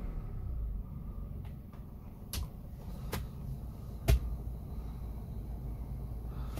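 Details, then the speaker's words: Daihatsu Sigra used one year as an online taxi, 80,000 km, AC off: smooth, even low idle with no knocking or ticking, a few handling clicks nearby; still normal, credited to regular engine flush and oil changes. "suaranya juga masih normal karena rajin di engine flush dan ganti oli."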